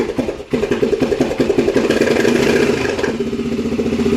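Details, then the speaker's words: Honda TRX400EX quad, cold start after sitting since winter with a dead battery, exhaust baffle removed: engine catches, then loud, sharp, popping idle at about three to four beats a second; loud exhaust from the missing baffle. "so as you can see I got no baffle on her so oh she going"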